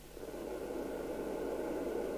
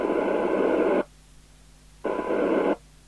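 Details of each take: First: Maxcom 30E UK FM CB radio (27/81 MHz) with intermittent deaf receive, under repair: after a 3.5 W transmit the hiss creeps back over about a second; slow receive recovery after transmit. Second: Maxcom 30E CB27/81 UK FM CB radio on channel 20 with squelch down, fed from a signal generator, after ceramic filter and MC3357 chip replacement for intermittent deaf receive: hissy tone bursts still heard down to about 0.17 µV, so receive sensitivity is normal.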